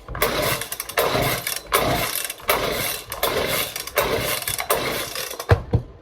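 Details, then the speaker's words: Echo PB-200 two-stroke blower after starting-fluid spray and some gas: six or seven short pull-start rasps that never catch or keep running; fails to start, owner suspects it is flooded. "Maybe give it a little bit of gas. Damn it, dude. I don't know. I might have flooded it by accident. Yeah, she might be flooded."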